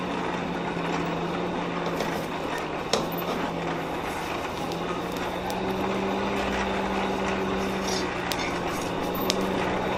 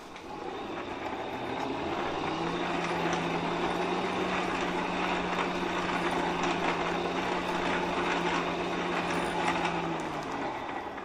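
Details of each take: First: Hand-cranked coal forge blower after prying the packed fire up off the air grate with a poker while cranking: steady low even whir, deepening slightly midway, with much more airflow through the fire pot; normal. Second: Hand-cranked blower on a coal forge with the fire packed down on the air grate: steady low hum and strained rushing air while cranking, blower struggling from restricted airflow through the fire pot.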